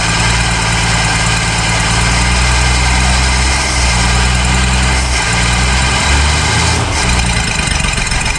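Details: 1966 Ford Mustang six-cylinder barn find, unrun for 40 years, now running on its own after an open vacuum port was closed: steady deep idle with an even low thrum, no stumbles or misses, idle and timing still being set.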